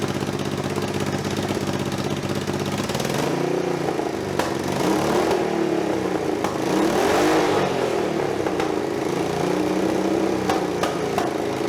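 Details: Budget scrambler motorcycle build, exhaust just packed with wadding: engine revs up and down with raw, loud, rasping exhaust and some clatter; still far too loud, gas escaping from remaining holes that need blocking.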